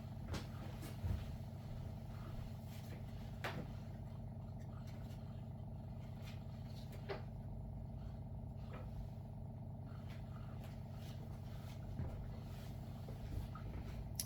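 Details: WaterFirst countertop reverse osmosis purifier on its first setup, during flush and filtration: a quiet, steady low hum with a few light clicks as the pump runs normally through its cycle.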